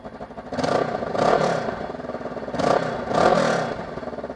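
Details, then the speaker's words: Kawasaki ER6f Ninja 650R with cracked down pipes separated from the silencer: two rev blips with a raspy, chattering blare and petrol smell; exhaust blowing, down pipes and silencer to be replaced. "So once this train passes, I'm going to start up the Ninja, the ER6, and you can hear what it sounds like with the exhaust blowing."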